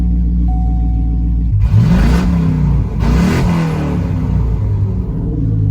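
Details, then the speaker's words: C6 Corvette V8 after short exhaust pipe added past the previously open headers: deep, steady rumble swelling cleanly with each blip, no ticking or puffing, far quieter; normal exhaust note. "So, let's fire it up and see how it sounds. Now, if it's good enough, I might not put the rest of the exhaust on. Oh my god, that is so much quieter."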